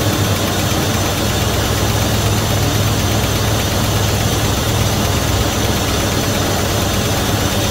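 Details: 1971 Dodge Coronet police car, 4-barrel 383 big-block V8, restarted after sitting since the early 1990s, after new plugs, wires and oil change, fuel poured in float bowls: even, fairly smooth idle, no knock; gauge shows 75 psi oil pressure (owner doubts reading). Normal idle.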